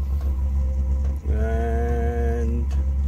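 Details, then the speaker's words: Cheap 12V Chinese all-in-one diesel heater warming up, battery about 12.1 V drawing 5–8 A: loud steady roar, jet-like, with brief rising whine as it builds; normal running at full power. "Definitely picking up now. Can hear it. Holy moly. It's like a jet engine."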